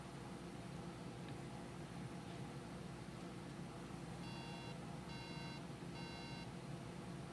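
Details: MacBook logic board 820-3330 giving three long even beeps over fan hiss, memory error code; RAM supply measured near 0.02 V instead of 1.5 V, missing RAM supply voltage.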